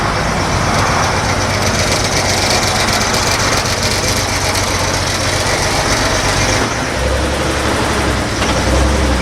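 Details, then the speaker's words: Vintage Toyota Land Cruiser (1972 or 1979), runs terribly: heavy, dragging cranking with uneven strokes before it fires and runs; ignition timing very over-advanced makes the starter labour, vacuum or mechanical advance suspected. "'s very advanced timing is very Advanced you can hear it load or labor the starter labors when it cranks over it and then it fires"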